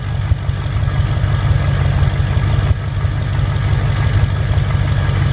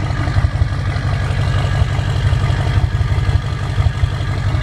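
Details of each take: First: 2007 Ford F-350 diesel just after a cold start at idle, owner reports deep throaty sound then a jet-like turbo whistle after about a minute plus a low boost code (EGR or wastegate suspected): steady deep idle with faint high whistle, described as its usual sound. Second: 2007 Ford F350 diesel just after a cold start; heavy, deep, throaty idle with a loud boomy exhaust and uneven pulse. After about a minute it turns jet-like with turbo whistle. A low boost code points to possible EGR or wastegate issues; the cause is unconfirmed.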